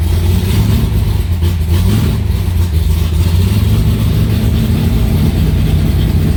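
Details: Aluminium-bodied Cobra V8, first start after two months sitting, in a garage: lit straight up; deep, even burble with a steady, lumpy beat, no knocks or misses; runs healthy.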